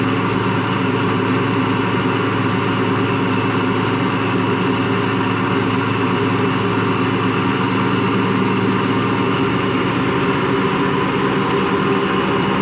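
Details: Washing machine run empty on rinse and spin: steady low growl with constant drone, never reaching full speed; drum not loose, owner suspects worn motor or drum bearings.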